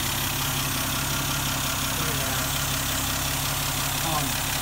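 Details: 1971 Dodge Demon, 198 Slant 6 stored in a garage since 1988, started on the standard battery and starter with no starting fluid; steady low idle with an even beat under hiss, settling and running smoothly.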